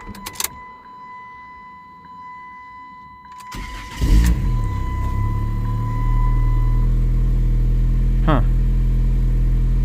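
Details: 2006 Dodge Stratus 2.4L that previously would not crank despite new PCM and starter, restarted after reconnecting: quiet, short crank, catches and settles into steady even idle with low hum; normal start and idle.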